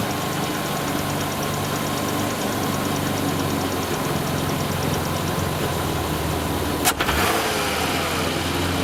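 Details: Engine at idle with a dry rattle over a ragged, hissy note from worn intake manifold shifter rod bushings and a vacuum leak at the green shifter rod gasket; replacing the bushings and gasket made it run well.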